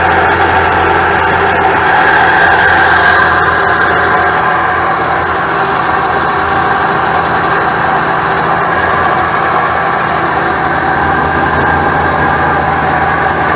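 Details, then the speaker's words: 1996 Sea-Doo SPX 717 two-stroke, started with spray into the breather, running premix with the oil injection still connected so it smokes heavily: a loud, fast, steady idle held far too high. "it runs but this Outlook way too high I thought it was gonna jump off the trailer why is it held up so high"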